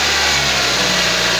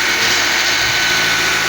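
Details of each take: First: Nissan X-Trail T32 after replacing the auto tensioner and water pump: the buzzing and rattling that rose with throttle are gone, leaving a steady, even idle hiss with quiet front accessory drive and no belt chatter. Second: Nissan X-Trail T32, noise at front of engine rising with throttle: steady run with coarse buzz and scattered rattly clicks, two abnormal sounds, traced to worn belt tensioner pulley bearing plus water pump bearing rattle, not engine internals.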